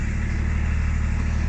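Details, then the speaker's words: Range Rover P38 automatic with a no-power/no-acceleration gearbox issue: a steady low drone with no notchiness, clunk or jolt as it shifts into reverse, neutral and drive; engagement sounds smooth. "there's no notchiness on the gearbox you can hear it changing back to neutral drive"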